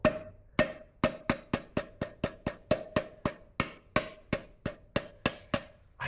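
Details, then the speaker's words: Triumph Daytona stainless muffler removed and shaken by hand: sharp metallic clacks, about three a second, with a ringing note; something loose inside the old muffler, location unclear; the replacement exhaust is silent. "not really sure where it's coming from, but something does have just the slightest little rattle."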